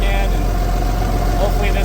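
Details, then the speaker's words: Marine flathead in a 1956 Century Restorer boat, first run after years sitting in a field, fuel from a jerry can, cooling hooked up, short run: deep steady low rumble, no knocks, misses or surging; normal running. "that's about all we're going to let it run for we have it hooked up cooling but uh it seems to be running pretty good we don't seem to have any major issues with it"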